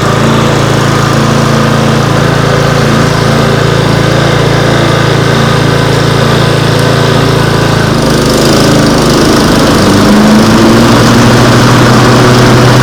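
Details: Toro Dual Force TimeMaster push mower with a single-cylinder engine, after spring maintenance: new Briggs & Stratton 491055T plug gapped 0.028–0.030 in. Runs with a steady, even chug at constant speed, no misses, knocks or hunting; healthy.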